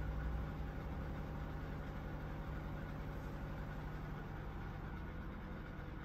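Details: QFlow 2.5kg compact RV/caravan/boat washer with inverter motor, spin climbing from about 500, then 400 or 300, up to 700 rpm final spin; soft, steady low hum without thumps, rattles or grinding; normal quiet spin.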